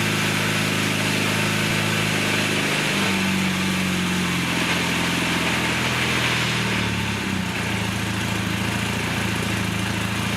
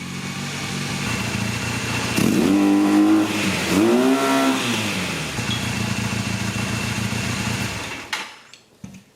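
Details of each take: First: 1982 Honda Nighthawk 450 parallel twin, first start in over eight years after carb cleaning, on choke: idles smoothly, then revs lift and sag unevenly, a pretty good hesitation off idle, though it revs up well. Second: 1982 Honda Nighthawk 450 parallel twin, first start in over eight years after carb cleaning: even, steady beat with two clean throttle blips, smooth and quiet, no ticking or knocking, no smoke; normal running.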